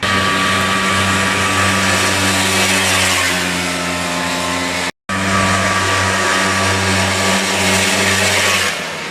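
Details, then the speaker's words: Polaris Xplorer two-stroke after fixing an oil leak that had starved it of two-stroke oil for 21 years: crisp, even buzz holding strong revs with clean steady tone, no stumbling; best it has ever run. "that is by far the best she's ever run buddy"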